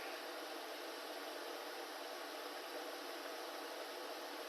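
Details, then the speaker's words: Heater being run toward 300°C, overheat sensor triggered shutdown; fans set to full supercharger and full fan to cool it down: steady, even rushing hiss with no rumble or rattle; blowers running smoothly flat out. "Right, let me just do a bit of blow drying. All right, full supercharger, full fan. Bet you can't hear me."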